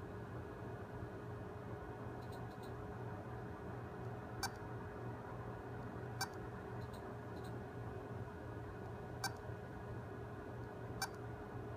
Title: Beeping western digital hard drive